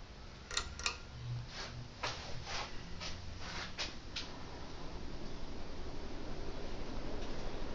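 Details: Hunter Original four-blade ceiling fan (white/polished brass) starting; a few light clicks, then a smooth rising whoosh settling into an even air rush. It runs clean with no wobble.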